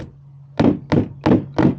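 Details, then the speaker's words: Water softener brine tank not using salt, only on the hot side; fist thumps on the tank sound dull and hollow at the bottom and solid higher up, revealing a large salt bridge: hollow sound below salt bridge. "If you can hear it sounds Hollow down here and solid up here that means there is a big bridge right here"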